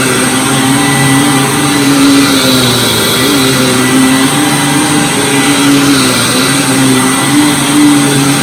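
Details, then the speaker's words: Hoover WindTunnel Supreme U5468-900 upright vacuum, used, with a finicky power switch: steady motor drone with wavering mid-pitch hum of the aggressive brush roll working carpet; normal running. "but as you can see uh Grooms the carpet very well and you'd hear that brush roller is very aggressive"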